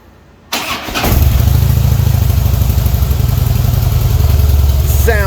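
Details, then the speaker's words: 2008 Harley-Davidson Heritage Softail Classic, 26,378 miles, stock with Screaming Eagle, 6-speed: cranks, catches quickly and settles into an even, deep, muffled V-twin loping idle, no knocks or rattles; healthy. "It retains that dark, deep Harley sound, but it is muffled a little bit, so it's not going to wake the neighbors up and freak anyone out."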